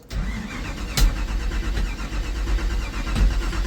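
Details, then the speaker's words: Neglected 10-year-old supercharged drag car with a blown head gasket, only three gallons of fuel added, fuel pump sounding a little funny: long, low, uneven churning while cranking in neutral with throttle held open before firing; slow start, cause unconfirmed. "Got some major cranking up here. That's the supercharger."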